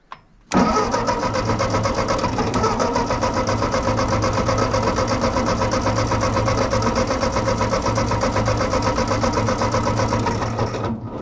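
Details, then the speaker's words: Ford 8N tractor after carburettor rebuild: starter spins engine steadily at about four compressions a second but it never fires; owner suspects coil voltage and spark lost while cranking, ballast resistor suspected, unconfirmed. "might try to test voltage while we're cranking see if I'm losing voltage to that coil sometimes it fires once I let off the button so I'm wondering if we're losing spark while we're cranking"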